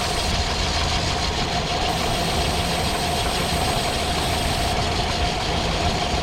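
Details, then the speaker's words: Mini truck petrol engine idling, also running hot (fan clutch suspected): constant airy hiss and faint whistle from a vacuum leak, suspected around the vacuum hose manifold; plugging one connector and spraying carb cleaner changed revs, but more leak remains. "One thing that Jack did notice when we bought the truck is there is a vacuum leak, and I don't know if you can hear it, but"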